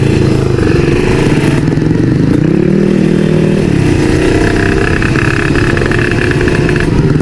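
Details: Kawasaki Ninja RR two-stroke with Moto1 59mm ceramic cylinder and PWK carburettor (pilot jet around 58), riding in slow traffic; crisp buzz rising and falling smoothly, no misfire or bogging, plug not fouling: normal running.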